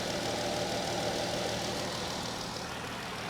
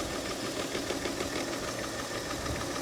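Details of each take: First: 2014 Dodge Durango 3.6 L V6 at auction, engine bay part missing, coolant looks good: smooth even idle, steady low hum, quiet, no knocks, misses or shaking; healthy. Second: 2008 Mercedes ML350 at auction, coolant issues: idle stumbles with uneven lumpy beat and irregular knocks; seems not running on all cylinders, misfire suspected, with balance shaft problem feared but not confirmed.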